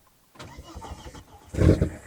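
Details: 1999 Volvo T5 2.3 turbo five-cylinder, left parked and being revived, after refuelling with petrol: a short burst of starter cranking with a few uneven chuffs, but it never catches; cranks, won't start, cause unconfirmed.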